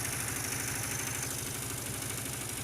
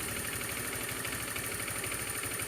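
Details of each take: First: Honda Beat automatic scooter, poorly maintained, at idle: harsh, steady rattling tick like piston slap or a loose cam chain; the cause is a spark plug working loose and nearly falling out. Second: Honda Beat scooter idling after the loose spark plug was tightened, curing a noise like a worn piston or timing chain: even steady idle pulse under hissy background, no knocking or misfire; normal.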